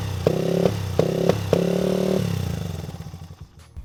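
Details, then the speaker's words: 2001 Honda XR80 dirt bike needing carburetor rebuild: single revs in short uneven blips, then stumbles and fades instead of holding idle; runs rough, carburetor suspected. "I'm going to show you guys how bad this thing runs carburetor is definitely in need of some attention"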